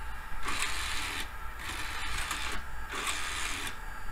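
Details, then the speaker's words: Optical drive in an old Dell PC that sounds terrible but works. Repeated short whirring bursts as the tray cycles in and back out and won't stay closed; a faulty tray-closed detection switch is suspected, not confirmed. "interesting it doesn't stay closed hahaha okay well that's got problems maybe there's a problem with the switch that detects when the tray is closed"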